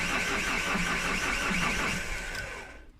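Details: 2010 Vauxhall Insignia, won't start; fuel was drained on suspicion of misfuelling, which proved wrong: starter churns the engine steadily over two seconds without catching, then dies away; crank no-start caused by a lazy, weak fuel pump.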